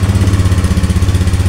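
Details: Fuel-injected motorcycle whose fuel pump did not hum at key-on, after the fix with a replacement pump rated around 50 psi: pump hums, then it fires on the starter and settles into a steady, even putter with no misses; normal idle.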